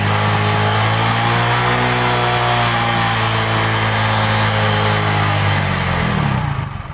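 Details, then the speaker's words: Hero Passion Pro single-cylinder that ran out of petrol and would not start until air in the fuel supply was cleared: the engine catches and runs at a steady, even beat without misses, then dies away. Normal running. "इतना कुछ करने के बाद bike start हो गई।"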